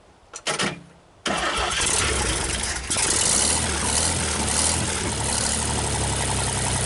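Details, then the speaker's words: 1960 GMC 305 cubic-inch V6, first start after manifold work, with a crushed exhaust pipe: quick crank, then it catches cleanly into a steady, even idle with no misses or knocks and no smoke; healthy start and idle. "sounds awfully good to me no smoke at all"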